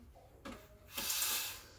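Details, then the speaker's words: Breville Barista Express BES870, about nine months old, after steaming milk to about 60 °C: faint click then a short clean half-second steam hiss to purge milk from the wand; normal steam wand purge. "now two important things you want to purge the one meaning turn it on just to get steam to clean the the milk from the wand"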